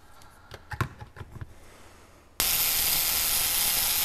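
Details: 1901 Curved Dash Oldsmobile ignition coil on a tester: a few handling taps, then a steady harsh high buzz as it fires; coil draws more current than wanted, audible in the sound, before point-gap adjustment.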